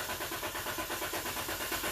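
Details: 2012 Dodge Durango 3.6L with suspected bad TIPM (fuel pump control), amp clamp on fuse M25: engine catches and runs roughly on the prime, then dies with no voltage or amperage reaching the fuel pump; stall from no pump power.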